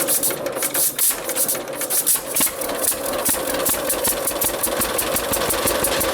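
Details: John Deere AR two-cylinder tractor after clutch adjustment: steady putt-putt under load, firing even and strong with no knocks or misses; healthy engine under load.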